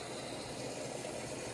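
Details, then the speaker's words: Whirlpool Duet washer WFW9450WW00 after cleaning and securing loose door lock latch for F15 error, quick cold wash: steady soft rush of water filling, door lock clicked, no knocking, buzzing or grinding; normal water fill. "It's filling with water. Well, so far it works."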